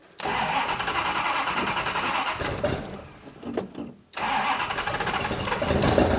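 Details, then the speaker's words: 1972 Plymouth Duster V8 at idle runs lumpy and lazy, stumbles and nearly dies, then picks up unevenly, like running on two cylinders; timing thought way off, distributor loosened and advanced slightly, no longer smoking; rough running. "sounds like it's running on like two cylinders"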